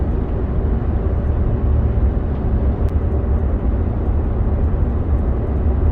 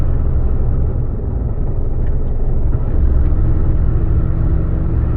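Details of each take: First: 2011 Ford F-150, 230,000 km, road test after rear axle rebuild for failed pinion bearings (gears saved): steady even road and drivetrain hum on gravel, no rhythmic shudder or drone. Driveline quiet and smooth, vibration gone. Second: 2011 Ford F-150, about 230,000 km, road test on highway: heavy, uneven low rumble and driveline shudder, less on decel, returning on coast, fine in neutral with light throttle; cause was failed rear axle pinion bearings, axle rebuilt, gears saved.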